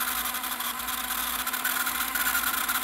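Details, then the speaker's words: VHS-C tape in a tape rewinder: a loud hiss with a thin steady squeal comes in partway through the rewind and the rewinder had to be stopped; something in the rewinder is dragging. "this one was making a hell of a noise rewinding I had to stop it"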